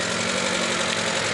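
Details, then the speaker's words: Mazda petrol engine at idle with a fast, even ticking-knock, same rate as lifter tick but louder and harsher; misfire suspected, knock sensor code checked. "is lifter tick it's making a worse noise it's like at the same rate as lifter tick but louder"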